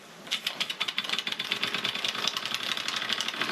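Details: Stirlingkit model beam engine on steam with the modified valve (7.9 mm gap instead of 10 mm), regulator opened, governor uncoupled: quick even chuffs about eight a second, steady rhythm with no stalling; running sweetly.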